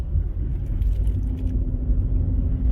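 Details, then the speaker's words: Ford Fusion hybrid on a road test after the bad rear wheel bearing was replaced: steady quiet road rumble with no growl or roar and no change; very slight noise on right turns, left bearing suspected starting to go. "So far, so good. It sounds nice and quiet now. You hear no change."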